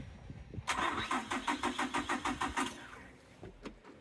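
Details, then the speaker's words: 1996 Suzuki Every van after new fuel pump installed, pump heard priming, a little gas given: starter cranks at about three beats a second for two seconds, engine never catches, then falls quiet as the battery dies; crank, no start. "a little bit of gas and now we're going to have a dead battery and the battery's dead"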